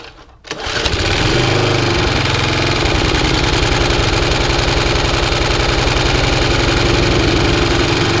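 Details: Restored Atco B17 Commodore petrol lawnmower on choke, blades not engaged, after cleaned air filter, new filter, new fuel tap and hose: catches within half a second, then a steady, even single-cylinder beat with no misses. Normal running.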